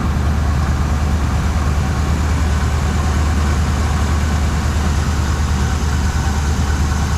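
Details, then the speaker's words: 1979 Suburban after new dual exhaust install, outside at idle: low lumpy uneven beat, about two pulses a second; temp gun shows one rear cylinder, maybe number seven, roughly 100 degrees cooler, indicating a misfiring cylinder. "so well I got her outside definitely sounds like it could be missing these cylinders so I got the temp gun we'll just check out some temps and see if there's one that's way cool"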